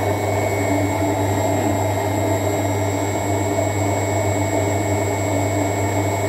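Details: LUX front-load washer, drum previously not turning on wash or spin; after a hex bolt was tightened, steady even motor hum with smooth constant whir, no slipping or squeal; drum turning normally.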